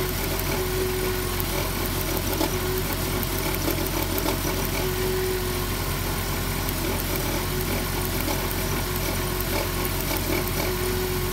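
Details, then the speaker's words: 2007 Dodge Grand Caravan idling rough: uneven beat with occasional stumble; misfire from a spark plug wire's damaged boot arcing to the engine block. "oh it's a plug wire look at that see that hogwired arcing the boots damaged"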